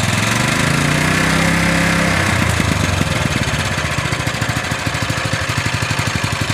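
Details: Honda GX160-type single-cylinder engine after valve clearance adjustment (0.10 and 0.25) for lack of power and rough running: after a brief rev it drops into an even, regular thump about four beats a second, running steadily and normally.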